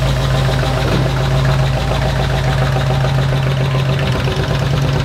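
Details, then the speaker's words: 1975 Ford Bronco V8 with FiTech EFI after installing Remflex graphite header gaskets to cure exhaust leaks: even, deep rumble at steady speed, the earlier ticking gone; leak fixed, sounds healthy. "I can hear it it sounds so much better definitely took care of the ticking"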